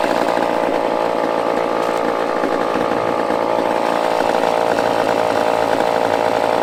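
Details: Used chainsaw with old fuel dumped, fresh fuel added, and the fuel line primed: steady high-pitched two-stroke buzz at constant revs, no surging, misfire or dropouts; runs cleanly.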